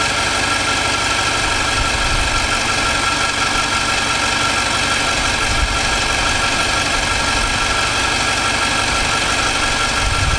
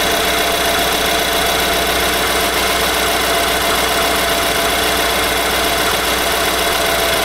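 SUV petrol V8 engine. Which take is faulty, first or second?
second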